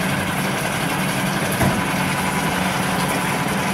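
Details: New Yamaha 4-stroke 5hp (6hp) outboard on its first start, idling with the revs slightly changing. Even, steady low hum with no ticking, knocking or rattles. No extraneous sounds; normal idle.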